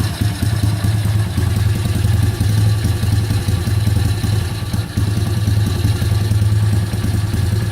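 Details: Kayo YX140E Klassic pit bike, throttle opened a bit more then held still: revs rise and fall unevenly with an occasional stumble; hunting idle and misfire.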